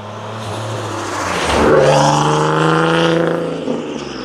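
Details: Single-turbo 370Z Nismo on a road drive after an exhaust-leak repair, on a hot day near 100 degrees. Smooth, even rising pull through the revs with no puffing or ticking. Normal exhaust note, sealed and healthy.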